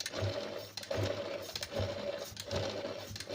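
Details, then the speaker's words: Sewing machine after oiling faceplate, rear and underside: soft, even stitching rhythm a little over one cycle per second, no clatter; previously very noisy only from lack of oil, now runs smoothly. "पहले बहुत ज्यादा आवाज कर रही थी अब सही हो गई केवल मशीन के ल के वजह से आवाज कर रही थी"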